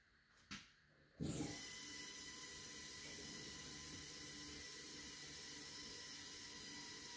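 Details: First start of new 2000+HP LS engine (Dart LS Next block, 4in stroke crank, 4.140 bore, Brodix BR3 heads, .750 lift solid roller cam): quiet lead-in then catches at once, settles to steady even idle, no knocks or misses; small oil leak at cam-driven fuel pump.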